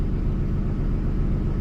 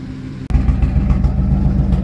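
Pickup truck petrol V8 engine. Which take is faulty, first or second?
second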